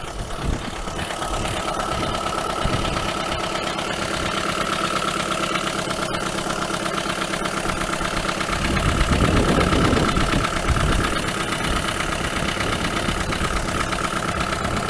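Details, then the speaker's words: 1980 Dodge Colt Challenger (Mitsubishi Galant Lambda) with its cleaned, rebuilt carburetor installed: steady, even idle with no stumbling or hunting; the idle problem is solved, though float adjustment still needs tweaking. "perfect idle's working so the idle problem is solved"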